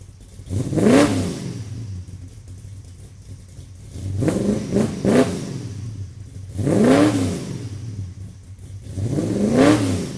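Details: Engine after a vacuum leak was fixed, recorded from about 40 feet behind the car on a tripod: four clean, even throttle blips revving up and dropping back smoothly with no hiss or stumble; healthy engine.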